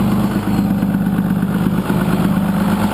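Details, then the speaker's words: 6.2L Cummins diesel, exhaust brake worked off the idle side of the throttle lever: note surges and sags about twice a second as an intermittent switch with unsoldered, vibrating wires cuts the exhaust brake in and out. "you hear pulsing on the motor actually the wires wires aren't soldered on so they're kind of just vibrating that's a problem"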